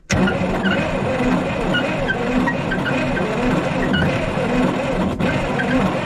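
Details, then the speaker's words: Diesel roller compactor that sat about 30 years, cranking steadily with occasional weak pops, firing on one or two cylinders and never catching; owner suspects it isn't getting enough fuel. "uh i can hear like it's just kind of giving one of those little pop pop like like like a i can hear it's popping a little bit like it is banging on one or two cylinders it's trying but i don't think it's getting enough fuel"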